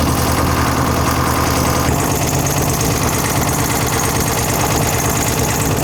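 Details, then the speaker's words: 1964 Karmann Ghia race car with a newly installed 1904cc engine on dual carbs, ear-tuned; lumpy, uneven loping idle with occasional pops, running rich and smoking: rich idle from unsynchronised carburettors. "But you can tell uh I don't know if you can tell in the shop. She's uh she rolls coal good due to the fact that well I mean I'm just saying we're running rich."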